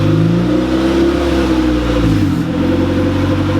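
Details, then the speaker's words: Honda Civic EG on first start after a turbo install: steady, even idle with a smooth drone that drops a notch as it warms up and idles down; not dying or shutting off. "he's not dying yeah it's not shutting off which is a good sign we're letting it warm up and idle down a little bit"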